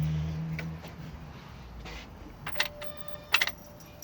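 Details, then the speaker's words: 2007 BMW X5 3.0si won't start, battery seemingly good: sharp clicks from the starter area when key turned but engine never cranks; bad starter motor. "And you can hear it click down there."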